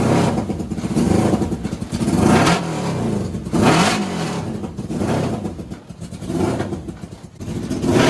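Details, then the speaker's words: NasKart with a CB750 750 engine: uneven surging revs with irregular pops from the exhaust, not the intake, about once a second; revs up fine but idles rough, misfiring, likely rich. "But it's just like trying to get it to idle is rough. And you guys can probably hear that popping. It's not coming out the intake, it's coming out the exhau"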